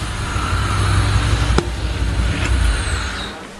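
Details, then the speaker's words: 1986 Pontiac Fiero GT (Ferrari F355 replica), on 4-5-year-old gas, given a final rev in the garage: a high whistle rides over it and slides down as the revs drop, because no air intake is fitted. "Like I was saying, it's gonna be whistling because there's no intake on it."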